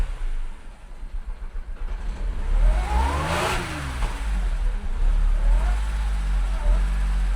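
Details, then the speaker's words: Audi S5 after swapping in a cam position sensor from an S4 and clearing codes: uneven lumpy idle with choppy beat persisting as it revs, sounding like a three-cylinder; same misfires remain, cause not found. "Definitely sounds like a threecylinder right now. All right, so the car still runs exactly the same."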